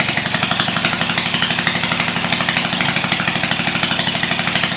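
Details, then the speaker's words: 18 HP Briggs & Stratton opposed twin off a Craftsman mower, electronic ignition, cast iron, first startup on choke before Terra Jet install; fast steady rhythm, crisp even exhaust beat, no misfires; normal running. "now to me that's music to my ears an engine you crank it twice and it starts and runs"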